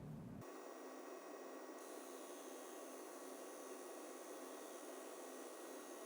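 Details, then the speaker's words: AMD Fury X graphics card under load: steady, piercing high-pitched coil whine with several thin tones over a constant hiss, extremely loud; retail-partner sample. "the coil line on this card is louder than anything I have ever heard and I have heard some extremely loud cards before"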